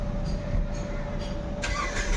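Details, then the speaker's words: Nissan Micra petrol automatic that cranks but won't start; pump wiring and current check okay, yet the starter churns steadily with no firing and no petrol delivered, so the pump is removed to inspect the motor or pipeline. Crank, no start, no fuel delivery. "Petrol नहीं आ रहा आप लोग देख सकते हो तो अभी मैं मोटर को खोलता हूं मोटर के अंदर क्या डैमेज है पाइपलाइन डैमेज है या फिर मोटर खराब हो गया है"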